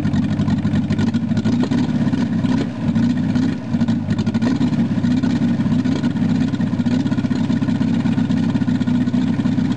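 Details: VW Rabbit started after sitting a long time, first wanting to run wide open: steady even low idle without surging after cold-start control pushed in and pulled out; idles properly.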